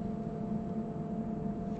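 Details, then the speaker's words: Medical-grade air compressor, cover back on after repair: low steady hum with smooth intercooler fan tone, no knocks or rattles, builds to 8 bar (about 115 psi) and shuts off; normal quiet run. "have you guys ever heard of an air compressor that quiet that's absolutely amazing"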